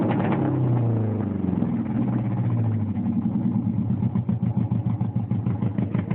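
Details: 1987 Mazda 929 LX, 2.2 inline-four with two-barrel carburetor, no catalytic converter, running with irregular popping and chuffing about three a second; backfire through a bad exhaust leak before the first muffler.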